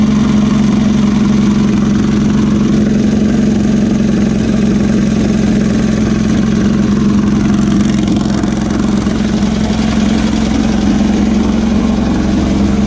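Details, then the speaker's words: Air-cooled VW beach buggy after clearing a blocked idle jet in the driver's-side carburettor and rebalancing the carbs: a steady, even idle held a touch fast, with no popping or stumble, just a smooth continuous beat. "seemed to have cured all the popping and far in kicking over a little bit on the fast side but it's running"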